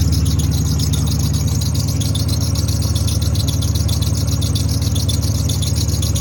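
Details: Ford Maverick after flipping the IAC valve back to its original orientation: high idle gone, even steady low idle about three beats a second with no hunting or surging. Normal idle.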